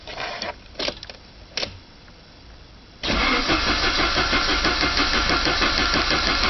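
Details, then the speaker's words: 1985 Saab 900 turbo, cranked after oil pressure loss: oil pump and relief valve were removed to clear a steel piece, the pump primed with grease, new filter fitted. After clicks, an even crank at about three turns per second, no firing, building pressure. Normal cranking. "I'm going to crank it over first until I get pressure anyways see what happens"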